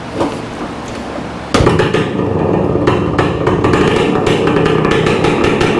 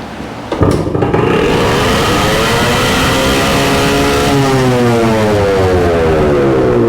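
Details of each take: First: 1966 Suzuki Bearcat 120cc two-stroke, kick-started after a new spark plug, carburetor cleaning and reseating the throttle cable; crisp, loud, ringing buzz with a raw open exhaust note because the muffler baffle is missing; otherwise running well. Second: 1966 Suzuki Bearcat 120cc two-stroke after new spark plug and carburetor cleaning, on auxiliary fuel tank: fires after a kick and runs high and steady, pitch drifting; throttle cable not seated fully, holding throttle open; no air leak found.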